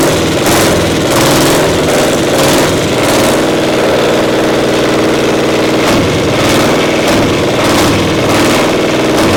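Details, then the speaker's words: Caterpillar Diesel 70 two-cylinder pony starting motor, carb now acting good: loud, lumpy running with uneven pops, one cylinder firing only once in a while; intermittent misfire from a faulty magneto cap. "Running on one cylinder. We got one cylinder not Hitting working. on two once in a while. Acts like a spark plug or something was goofy."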